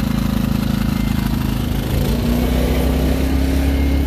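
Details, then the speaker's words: Diesel machine with auto idle switched off and idle raised to full: a deep, even drone that rises slightly in pitch and gets louder, then holds smooth and steady, a normal high idle. "Now that's it cranked up at full idle, so you can tell it's a little louder."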